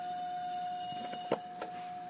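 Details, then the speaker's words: Fan on its low setting powered by a modified sine wave inverter draws about 32 W, versus about 27 W on a pure sine inverter. A loud, steady mid-pitched buzz sits over the fan's run: the choppy supply makes the motor hum. "here is the modified sine wave demonstration and uh when you start up on low you're going to hear like God awful sound"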